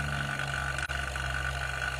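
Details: Half-HP vacuum pump evacuating a one-door refrigerator with the valve fully open, smoke from the exhaust as air is drawn out: steady low hum with a fixed thin whine, even and unbroken; pulling down normally with no knocks.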